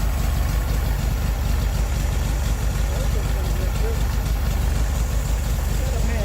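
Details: 1969 VW Beetle air-cooled flat-four with Solex downdraft carburetor, after replacing bad condenser and modified coil (unsure which was faulty): low steady idle putter, no misfire stumble; best it's run since overhaul, normal idle.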